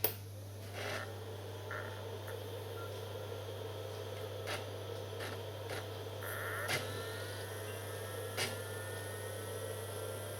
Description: If you have a noisy Sega Dreamcast then chances are that the lubrication in the GD-ROM drive has dried out.